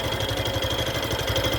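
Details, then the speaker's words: Factor 150 motorcycle, new, before 1000 km service, heard from a distance: quick, even idle pulse with a thin high whine on top; owner finds the mechanical noise ugly and suspects a factory fault, source unknown. "mas esse barulho aqui barulho é feio"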